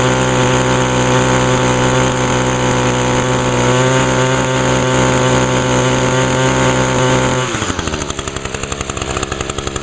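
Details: Echo two-stroke string trimmer, started on choke with primer pulls after decarbonizer in the cylinder; smoky at first. Strong, steady high-rev buzz drops cleanly to an even idle of about four pulses a second: normal running.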